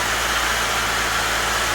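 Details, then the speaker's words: 2017 Subaru Levorg 2.0GTS cold idle just after an oil change with about five liters added: smooth, steady even hum with no ticking, knocking or hunting; sounds a bit tank-like but runs normally. "all right so I just started it up sounds like a bit of a tank at the moment um it's cold"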